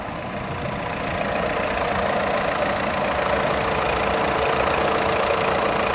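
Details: VW Polo 6N2 1.4i 16V petrol: fast, light clacking from the engine block at idle, about four per second over a hissy idle, stopping on acceleration; engine pulls well with strong engine braking; cause unknown.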